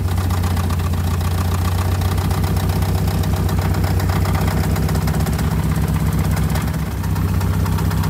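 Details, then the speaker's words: 1962 Austin Healey 3000 BT7, long stored and mouse-damaged, with a rebuilt engine, head and carburettors, at its first cold start in a 50°F room with the choke partly out: a steady light rattle over a rough idle, caused by the hood hinge hitting the body. "it looks like the rattling sound that you've probably been hearing throughout this video the hood hinge is slightly hitting the body here"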